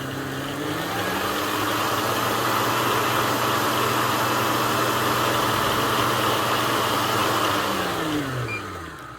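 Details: Kenwood Titanium Chef XL food mixer that keeps stopping with error E29: steady motor whir holds for about eight seconds, then slows and dies away; motor cutting out from worn-out brushes, also has an internal oil leak.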